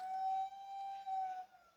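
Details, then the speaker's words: Fiat Argo Firefly engine shutting down after a rev: clear steady siren- or train-horn-like whistle for about a second and a half, then fading. Torn PCV diaphragm whistle; diaphragm to be replaced. "parecendo um Trenzinho Barulho de um trenzinho buzinando ó quer ver ó lá Maria Fumaça ó Isso daí galera é o diafragma"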